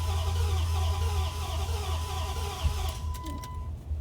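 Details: 2003 Dodge 4.7L V8 (named as both Durango and Dakota), crank-no-start with code P0335 (crankshaft position signal), back-probed at PCM on cam and crank sensors: steady cranking, never catches; relative compression and clear-flood tests also poor; cause unconfirmed.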